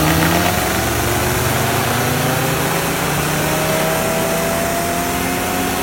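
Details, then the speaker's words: Mazda RX-7 first start after carburettor rebuild with homemade gasket; loud, uneven, stumbling rough running, carburettor still needs tuning. "Alright, so yeah, the car runs now. That's very good. Runs really rough."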